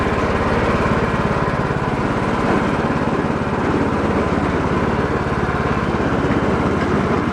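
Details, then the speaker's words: Cub Cadet hydrostatic tractor (believed Peerless, suspected bad trans) pulls forward steadily under load after rusty wheels were refitted; no whine or grinding, so the transmission is good; the mower deck belt is suspected faulty. "so I have a feeling that belt was probably goofy but the trans is good and that's kind of the main issue that we're looking into"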